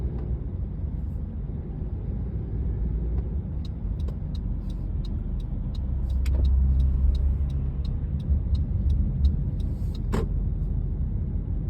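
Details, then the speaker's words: Honda CR-V driving: light sharp tick two to three times a second, mostly at 1,000–2,000 rpm, also at idle, worse after CRC valve cleaning and oil change to Kirkland 0W-20 full synthetic; engine ticking at low RPM. "it's more nor principle when it's lower RPM like uh 1,000 to 2,000 or so and of course you don't hear it when it's raining only when it's dry Quiet"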